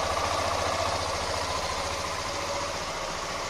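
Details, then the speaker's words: 2019 Yamaha Crosser Z 150 single idling after cleaning with vinegar, with the panel showing no error code: a steady, even putter with no misses or hunting. Running smoothly. "eu dou a partida nela e ela funciona normalmente vocês podem ver não apresenta nenhuma falha tá tudo certinho"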